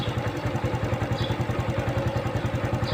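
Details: Honda Wave 110i after the cam chain repair; now quiet, and the tensioner can still be replaced later if it fails. Even, steady single-cylinder thump of about 160 a minute with no ticking or chain slap: normal idle.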